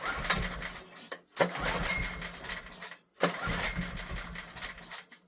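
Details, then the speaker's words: Old heavy Honda generator, barn find stored about 20 years, on choke: three rough recoil pulls each catch briefly with a ragged burst then die; spark present, owner suspects carb issue from long storage. "Trying. She's trying. I think that's safe to say we've got a spark."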